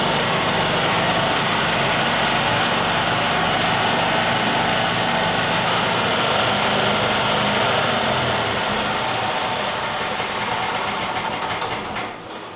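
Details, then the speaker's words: Yamaha G2 golf cart, cold start at about 35°F with choke on, after a tune-up (carburetor, air filter, spark plug). It catches and settles into a steady, even idle with no stumbling, its first cold start in 6–7 years: normal cold start. "Okay, that's now the first time that's happened in about 6 to 7 years, starting up in the cold. So at least our tune-up did help,"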